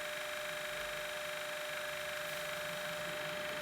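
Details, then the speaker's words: NPR film camera motor switched on via the handle switch, crystal speed set to 24 fps: quiet, steady mid-pitched whir, no ticking or wobble; motor runs evenly at speed, normal. "the handle switch is here that also switches the camera you can hear it running"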